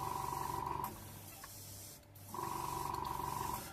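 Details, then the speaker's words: Harder & Steenbeck Evolution CRplus2 airbrush after ultrasonic cleaning of dried primer and draining water traps: steady, smooth hiss of air in two even bursts, no sputter. Airflow is clear and healthy after cleaning. "Make sure we've got airflow. Yeah, and you can hear the difference."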